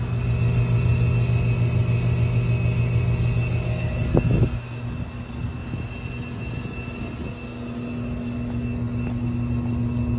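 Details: Trane rooftop unit (RTU) on customer's recording: loud heavy droning hum with steady tones that drops off sharply midway, then slowly builds again; technician suspects compressor bypassing, unsure whether condenser fan motor was running.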